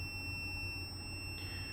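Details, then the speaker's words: PS5 with no power, multimeter continuity check near the reballed South Bridge: a steady high-pitched beep of about 2.7 kHz to ground, revealing a short on the 3.3V power-good rail. "You can hear the beep on the ground. And I managed to find a short there,"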